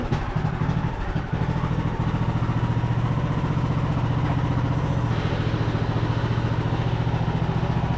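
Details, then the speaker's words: Craftsman YT3000 riding mower (Husqvarna-made), revived after about 5 years sitting, testing forward and reverse: small engine steady low thrum, three to four pulses a second, no drive whine or grinding; transmission and pulleys sound normal. "e sounds good to me I don't hear anything pulley sound good awesome oh sweet well seems like transmission's working just like it's supposed to"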